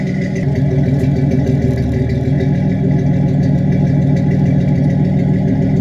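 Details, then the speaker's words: 1987 Chevrolet Celebrity Eurosport 2.8 V6 (owner believes HO), 4-speed automatic, loud non-stock exhaust: deep throaty rumble at steady speed with no knocks; engine runs fine. "But you let me know down in the comments and see what you think about the exhaust, and see if I should go back to stock or keep it like it is."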